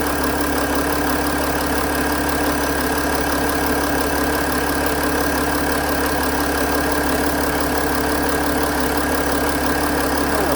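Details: 2008 Mercedes-Benz ML320 diesel after alternator replacement, charging 14.9 V with battery low at 12.2 V: steady even diesel idle clatter with no knocks, misses or flutter; engine healthy.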